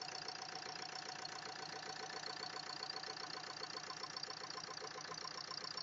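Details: Steady sharp ticking about four knocks a second over a smooth idle; top-end engine knock. Owner suspects valves hitting the piston; not confirmed.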